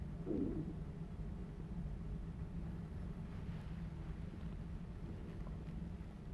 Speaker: so far everything looks good there are no leaks that I can hear and my gauge has not really moved